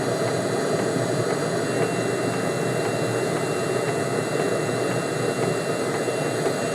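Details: Webasto diesel heater running on high with a homemade replacement controller (555 modules, MOSFETs, no ECU), tested outdoors: steady roar of combustion and fan with faint regular ticking from the fuel pump; burning evenly, normal operation.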